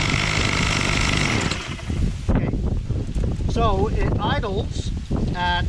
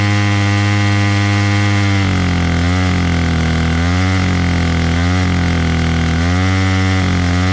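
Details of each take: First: Bolens MTD BL-160 25cc two-stroke trimmer after cleaning a debris-blocked carburetor mesh, started on half choke: buzzes a couple of seconds then cuts out abruptly when throttled; owner suspects carburetor mixture screws need reset. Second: Bolens MTD BL-160 25cc two-stroke trimmer after carburetor clean and low mixture screw reset, choke off: buzzes steadily, revs cleanly up and down several times without bogging, then drops to a smooth idle; running properly.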